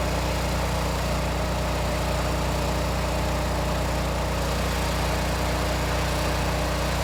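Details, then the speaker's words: Repaired Generac 20 kW standby generator (model 0058871) under heavy load of about 12,000 W: a steady engine drone at constant pitch that holds firm; 120 V, 60 Hz, THD 4.3%, sine wave unchanged; running healthy. "So I can hear the engine. It is working a little bit now, but THD remains quite low, 4.3%, and the sine wave looks largely unchanged."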